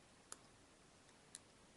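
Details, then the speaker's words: Hand-wound transformer after being soaked with epoxy resin, hardener and solvent and left to dry: quiet room, no mains hum, just two faint clicks; the hum is gone. "он больше не шумит вот послушайте ближе вот так я избавляюсь от шума"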